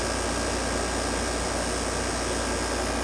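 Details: GoldStar window air conditioner on its first real use in 7 years, heard at the compressor outside: steady even hum with a low drone and smooth fan rush, no knocks or rattles; normal running.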